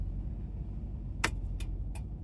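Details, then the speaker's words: Nissan Titan 4x4, with a previously failed 4WD engagement, shifted from 2WD to 4-high before climbing a hill: one crisp click then two softer ones over a steady engine hum. Normal transfer case engagement. "is the click and uh yeah let's go up 44 is on and we should be able to climb with a oh yeah no problem"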